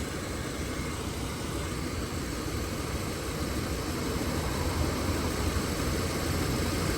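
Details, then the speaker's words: Subaru AC at engine idle, recharged to about 190–200 g of refrigerant after recovery; it was noisy when low on refrigerant. The compressor now gives a quiet, smooth, even whir with no rattling or grinding. "shut it off 190 and you hear how quiet the compressor is right"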